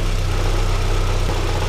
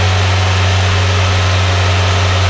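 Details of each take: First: VW Citi Golf 1.4i after replacing the MAP sensor to cure over-revving idle: short stretch of steady, even idle with smooth low hum, no hunting or surging; revs return to idle normally. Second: VW Citi Golf 1.4i after throttle body clean: steady fast idle with even low drone held high several seconds before dipping; over-revving, idle speed too high.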